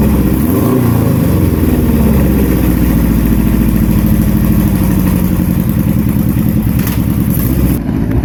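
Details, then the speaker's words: Flatplane three-cylinder motorcycle engine, fires at 0, 180 and 360 degrees like a flatplane four missing a cylinder: deep full exhaust beat with uneven lilt as revs rise and fall; smooth strong running, normal. "Mas seja o que for, esse motor soa lindo demais. Acredito que seja um dos sons mais lindos que se pode ter em um motor 3 cilindros."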